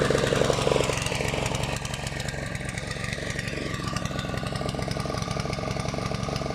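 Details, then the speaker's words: Honda GV150 scooter engine after rebuild, transmission not yet fitted, choke partly on: rough, slightly uneven popping with ragged exhaust; owner suspects ignition fault or coil, plug not replaced, possibly fuel filter. "après air est aussi un défaut d'allumage ou à la tête de la bobine et j'ai pas changé la bougie"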